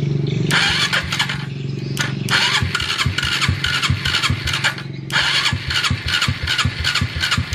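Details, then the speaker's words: Homemade grandong motorcycle build converted to electric start with added relay and button: repeated short starter bursts with choppy knocks and pauses, never catching; starts at once on kick starter but hard to start on electric starter, cause unknown. "jadi motor itu diengkol tapi itu langsung hidup tapi ketika pakai stater tangan itu kok susah hidup"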